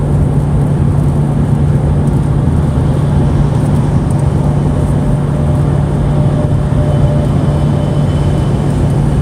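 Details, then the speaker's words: Mustang cruising at about 79 mph, cabin recorded: only steady low road and engine hum with no buzz or rattle; the earlier buzzing came from the change cup, not the mount, and moving it restored a quiet interior. "It was my change cup. Yeah, that got rid of the buzzing."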